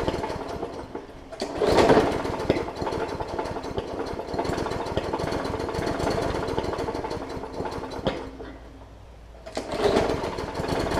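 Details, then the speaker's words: Hyper Tough Briggs & Stratton OHV push mower with a plastic carb that sat over winter with water in the fuel, now running after burning through the water; steady even putter with no misses, healthy. "excellent so all it was doing is it just needed to fight the battle with the water that was still left in there"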